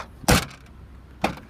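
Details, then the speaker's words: 2014 Lexus IS sedan, heard at the rear when the trunk release lever is pulled; a sharp latch clunk, then a loose metallic clatter as the lid pops free, a trunk rattle possibly partly from the license tag. "When I pop the trigger, you can kind of hear that trunk rattle a bit."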